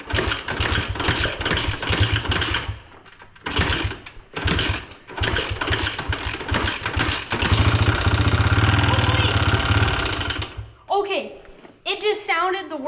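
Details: 1986 Honda XR80R dirt bike, low compression, given brake cleaner to start: small single stutters and misses through several tries, then runs ragged a few seconds before fading; very rough, uneven firing.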